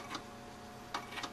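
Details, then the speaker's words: Power Macintosh 6500/275 with an IDE hard drive: sharp, irregular clicks over a faint electronic hum as the failing drive tries and fails to spin up at power-on. "listen carefully that clicking is the hard Drive attempting to spin"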